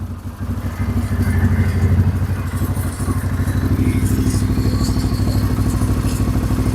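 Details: CFMoto CForce ATV just after an oil change with new copper drain washer and Mobil 1 Racing 4T 10W-40: steady, even idle with smooth regular putter, no knocks, ticks or rattles, no leaks; normal idle.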